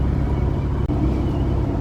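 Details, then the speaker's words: Dodge Challenger with 225 slant six, low oil pressure, oil light on, driven on the road about a mile from the shop: heavy low rumble broken by a busy, uneven, drum-like deep rod knock; cause suspected, not confirmed. "and you can kind of hear a little bit knock knock knok Knocking On Heavens now going on out in ninja Bay"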